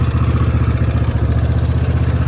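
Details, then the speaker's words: Kohler engine on a mower: loud metallic clatter pulses evenly on a lumpy idle. Owner says every Kohler he's had does this and blames hammering, valve slamming or pushrods. Cause unconfirmed. "Unless you run them every day, but you leave them sit for a couple weeks and then you fire them up. It's nothing but hammering, valve slamming, push rods, whatever it is. They sound like that. They sound like they're gonna come apart."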